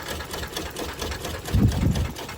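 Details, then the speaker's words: Toyota Kluger at 331,000 km, started after sitting for years: fires right up but runs poorly with fast uneven ticking over a shaky low idle that swells when blipped; smells cooked, cause unconfirmed. "watch the fired right up but she doesn't sound very healthy at all"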